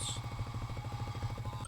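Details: Amplifier with an intermittent fault, reassembled during fault-finding: low rapid purr pulsing about thirteen times a second through the speaker, then cutting out; suspected loose PCB mounting/grounding point missing a screw.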